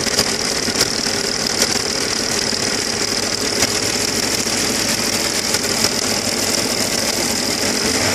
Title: AKG стучит шатун